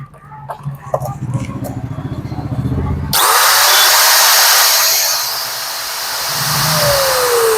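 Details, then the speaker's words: Angle grinder motor run with the front gear head removed, gears intact: it spins up to a smooth, even high whir, then slows; the motor is fine and the noise fault is a broken front-head bearing. "तो दोस्तों आप लोग देख सकते हैं fresh चल रहा है, मशीन फ्रेश चल रहा है।"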